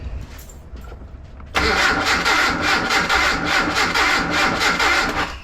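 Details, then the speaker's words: Datsun/Nissan 720 King Cab 4x4, abandoned about 20 years, distributor timing just rotated, timing light attached: steady starter churning about two beats a second, no catch; cranks but won't start, no spark. "Definitely turning over better. Breaking the ground. Still not seeing anything on the timing light."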